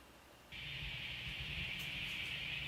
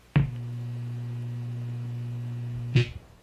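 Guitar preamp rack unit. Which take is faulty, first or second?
second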